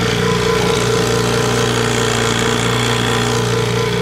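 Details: 1968 Johnson 6 hp two-stroke outboard, likely unrun about 15 years, old uncleaned points and plugs, impeller kicking out water and running cool: steady even buzz at fast idle, no misses or knocks, runs cleanly.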